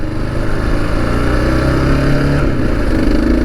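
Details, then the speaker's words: Kawasaki KLR650 Gen 2 with SW-Motech skid plate, after fixing skid plate vibration: riding on road through about 3500–3700 rpm, steady single-cylinder thump pulling cleanly with no buzz or rattle from the skid plate. "nothing nothing so far so good let's get her out on the highway let's vibrate the heck out of this sucker should be hearing it right here nice nothing"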